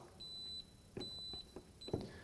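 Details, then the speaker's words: Makita BAC01 40V ConnectX portable power station overloaded by a heater past about 1400 W: output cut off, red light, voltage held at 116 V, high thin electronic alarm beeps about every 0.8 seconds. "but we still kept 116 volts which is going to be great for the tool so we're beeping you can hear the alarm"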